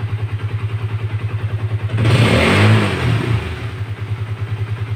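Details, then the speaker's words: Honda CB150R (CB150FI) running after starter fix: neutral switch contact ball cleaned, the only fault (battery new, relay, starter motor, button fine). Steady, even single-cylinder putter, a clean throttle blip, then a settled idle with no misses. "saudara cukup buat Kalita coba ternyata kembali normal Hai masalahnya hanya ada di sweet netralnya tadi ya"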